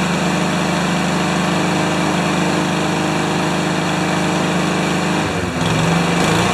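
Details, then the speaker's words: Remington mower with Powermore single-cylinder engine, primer needed: steady, low-pitched chug holding a lazy idle, slower than it should be, no knocks or misses; owner suspects governor needs adjusting. "so it's idling or it's running a little slow so we'll tackle this one later"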